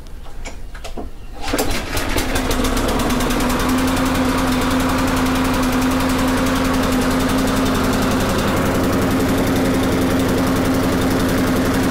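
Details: Lawn mower, air filter reinstalled, oil put in carburetor so smoke expected, cable still to be ordered: pull-cord rattles, then small engine catches and holds a steady, even putter of about four beats a second; running normally.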